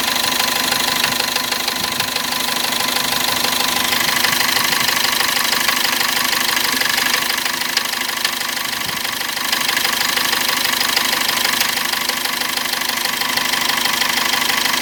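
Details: Cummins diesel that began knocking while driving with some seizing: sharp, even internal knock about three times a second. It returned at 2000 rpm when warm, after turbo work and an injector check, then stopped after two minutes. Full teardown found nothing.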